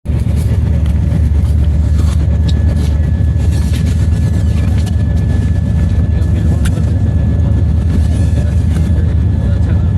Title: Wheel bearing and brake noise